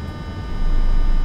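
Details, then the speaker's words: 2022 Toyota Avanza/Veloz, microphone at the rear fuel tank: a low steady hum swelling in when the ignition is switched on, the in-tank fuel pump priming; normal, possibly louder when fuel is low. "oke so tersebut adalah normal bukan sebuah kesalahan ataupun kerusakan dari komponen yang bersangkutan"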